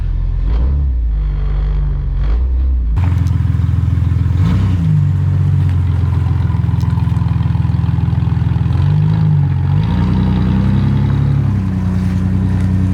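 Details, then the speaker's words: Jeep Cherokee XJ with one-ton axle swap on its first road test after rebuild, accelerating: deep steady engine rumble rising evenly, no knocks, misses or rattles; normal smooth running engine. "Wow. It's running really smooth though."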